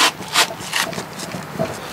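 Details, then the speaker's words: Mitsubishi Canter Turbo truck, front wheel rocked by hand: dull clunk with gritty scrape a few times a second from a badly worn kingpin with excess movement; needs replacing, replacement being sourced from Mitsubishi. "this is kingpin is completely bad i can't really i can't really show you how much movements in that kingpin but you can hear it it's pretty bad it's going to need replacing"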